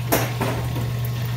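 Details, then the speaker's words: Manitowoc ice machine in safe mode, plugged water filters and dirty water level probe: steady pump hum with irregular gurgling, splashing bursts; water pump cavitating from very low water in sump. "then it's got like really really low water and it's struggling you can hear the pump cavitating"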